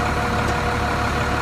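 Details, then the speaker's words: Truck (possibly an 8000) at diesel idle with clutch out: steady mid-pitched whine like a throwout bearing or pressure plate, which goes away when the clutch is pushed in; actually excessive gear lash in the PTO, fixed by shimming. "so it sounds like a pressure plate uh or a throwout varing is going out when you push it in it goes away like that but it's not that it's the PTO"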